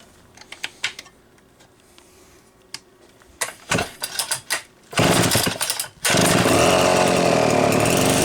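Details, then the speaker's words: Homelite C-72 two-stroke chainsaw, muffler stud upsized to 1/4 inch: handling clicks and pulls, then it fires and holds a strong steady buzz without stumbling; sounds pretty good, runs well. "Sounds pretty good. Sounds pretty good. Looks pretty decent."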